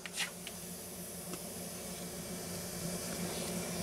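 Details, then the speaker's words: Mercedes-Benz air suspension, car bottomed out: steady airy hiss with engine off as air escapes from a flat worn-out suspension bellows, found after directly powering the valve and inflating with a blow nozzle. "just feel the air coming out of this bellows we can put some soapy water on there for visual effects but this thing is just just flat worn out"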